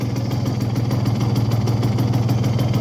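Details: Tuned Simson S60/4 12V two-stroke motorcycle, 60cc four-port: quick, even popping idle about three to four beats a second with steady low hum, no misses; normal two-stroke idle.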